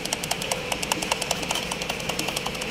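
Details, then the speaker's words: Toyota Innova Reborn, engine idling with the clutch pedal released: fast, fairly even metallic tek-tek ticking from the transmission that stops when the clutch is pressed. The worn original factory clutch disc hub is loose and rattling. Fix: replace the clutch disc. "nah nah kayak itu suaranya ya suaranya tek tek ini masih bawaan pabriknya Toyota nanti ini kita ganti kampasnya aja"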